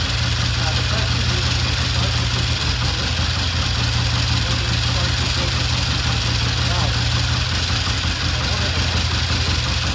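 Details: 1960 Triumph 350cc 3TA twin after valve adjustment raised compression to 135, restarted with a battery connected: a steady, even idle at about three pulses per second, crisp firing with no ticking or misses.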